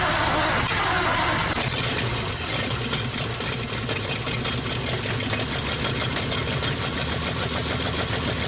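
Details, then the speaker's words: 1948 Nash engine, bored 60 over, first start after head work. It runs with an uneven, lumpy beat of about three firings a second, rich and flooding. Owner suspects a busted bottom carburetor diaphragm; a vacuum line still needs plugging off. "we're gonna go Bridge flooding out that diaphragm and bottom carburetor may be busted"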